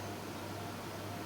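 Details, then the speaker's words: Dell 9020M mini Minecraft server with a new replacement CPU fan under heavy CPU load: soft, even hiss and faint hum at about 3600 rpm, peaking around 67 degrees, with no rattle or whine; the new fan runs quietly. "not really i can't hear this fan hardly at all running about three and a half 3.3 3.4 yep three and a half thousand rev so it's 3600 rpm"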